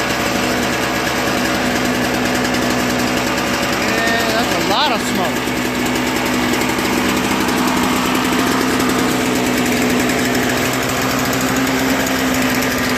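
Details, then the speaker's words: Toro Snow Commander 38602 single-stage snowblower after carburetor cleaning, fuel lines and tank drained of bad gas, new primer bulb: small single-cylinder engine holding steady even idle with no surging, hunting or misses; normal idle. "just needed a few more primes and I had to wait until the fuel got into the carburetor you know gravity trickle down you know fill the bowl all that stuff"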